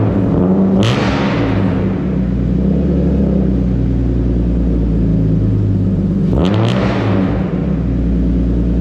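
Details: BMW E36 325is with new custom stainless exhaust and resonator but no muffler: heavy low idle rumble with two quick blips swelling and falling away; drone too loud, owner ordering a muffler tip.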